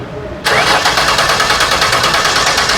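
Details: 2006 Ford Taurus with replacement salvage-yard engine, no-start: starter cranks at a steady rapid rhythm, about five pulses a second, never catching; spark and fuel pump confirmed, injector pulse present, injectors found stuck closed.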